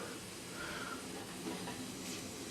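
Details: CUT50/CUT60 60 A Chinese plasma cutter on a 50-litre, 2.5 hp compressor: faint steady airy hiss continues after the cut stops; supply hose leaking air at both end clips and needs replacing.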